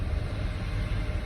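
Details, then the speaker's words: 2006 GMC Envoy bought at scrap price, throwing codes, after cam actuator replacement: low rumble at low idle rpm that wavers and dips unevenly; owner suspects crank and cam position sensors, weak coil packs on cylinders 5 and 6. Rough idle. "it's just idling rough so I'm gonna try replacing the crank sensor and that uh cam sensor and see what happens"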